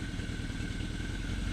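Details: 1981 Yamaha XS1100 cafe racer running Speeduino engine management, restarted as its temperature climbs: steady low rumble at idle with an even, unbroken beat, no misfire gaps, all cylinders pulling together. Normal idle.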